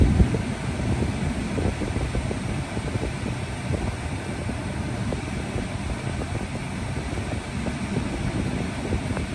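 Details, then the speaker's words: Mid-2018 Tesla Model 3 after AC compressor replacement and R134A recharge, set to coldest so the compressor runs faster: a steady whoosh of blower air over a low smooth hum, no cycling, rattle or squeal; AC working normally. "you always have it on as cold as setting just makes the pump run faster"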